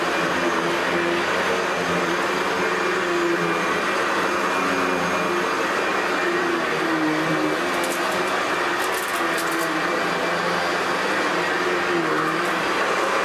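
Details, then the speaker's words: Hoover Decade 800 vacuum after cleaning, oiling bushing and main bearing, fitting metal fan from older Convertible; vibration traced to brushroll: steady even motor hum, smooth whir, no shaking; runs much better than before. "oh okay definitely a lot better than before so there we have it Hoover decade 800"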